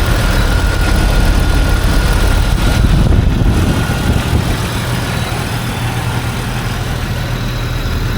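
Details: 2005 Jeep Wrangler TJ 4.0L warm after the crankcase vent (PCV) hose to the intake manifold was fixed temporarily: steady even idle with no buzzing or ticking; running smoothly.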